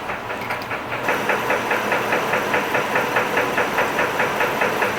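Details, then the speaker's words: 2006 Chevy TrailBlazer 4.2 L at idle, steady sharp tapping about 2.5 per second that seems tied to the crank and goes away when revved slightly; owner suspects lower-end rod knock; oil additive didn't fix it. "I think it's a rod knock something to do with the Pistons it's a lower end it's a lower end knocking noise it's not it's not an upper end at least not to my knowledge"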